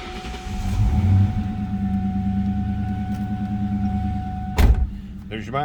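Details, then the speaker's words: 2004 Ford Mustang GT coupe V8, 17,847 miles, cold start: it catches and settles into a smooth, even idle with a steady low rumble and no knocks or misses; no warning lights, all gauges working, healthy. "That was a cold start. All gauges working."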